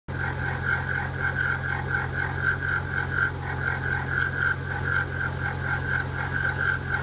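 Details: Passat 2.7 Bi-Turbo at idle: sharp high chirp repeating about four times a second, evenly spaced, in time with rotation; chirping noise, source not identified.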